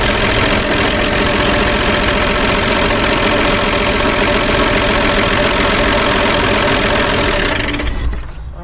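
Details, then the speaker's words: 1955 Chevy 210 revived after sitting many years, just started after checking firing order and timing: loud, busy rattling clatter over a steady idle until shutdown; very noisy top end, owner unsure if oil reaches it. "to shut that down that top end is very very noisy and I don't know if it's getting oil up top or not"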